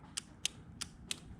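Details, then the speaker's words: Yamaha V-Max motorcycle, custom air-shifter and line-lock relays wired separately: pressing the button gives four sharp, crisp single clicks about a third of a second apart, no chatter or buzz; relay switching normally. "But now when it's on, I hit the button, you hear everything clicking. The relay, solenoid, flip that off."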